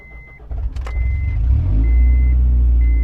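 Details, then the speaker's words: Non-running Honda CR-V, valves just done, on its first test drive in two-wheel drive with no catalytic converter: deep, loud, tractor-like exhaust drone rising with revs under load; check engine light on. "Now it's going to be loud because no cat."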